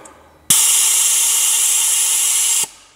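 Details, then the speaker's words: 2007 Audi A8 air suspension stuck at highest position: with brown compressor air line released from valve block and scan tool commanding vent, loud steady hiss for about two seconds then sharp cutoff; springs deflate, blocked compressor release path found. "and bingo now the air springs are venting with the brown line coming directly from the compressor released from the valve block now we can actually deflate the air springs"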